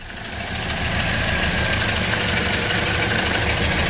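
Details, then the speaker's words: 2009–2013 Toyota Corolla with intermittent no-start and random misfire codes, running after unplugging and replugging injectors with throttle held: uneven, rattly, choppy beat with a hissy top end; low compression in all cylinders, suspected failed head gasket. "A few people with same exact condition, and they all said a bad head gasket will cause this low compression issue in all four cylinders."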